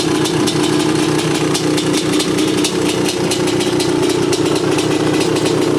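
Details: 1986 Honda CR500R two-stroke, mostly original, unrestored, low hours, described as tight and sound running: crisp, rapid, even burble holds steady at idle with no knocks or misses; normal two-stroke idle.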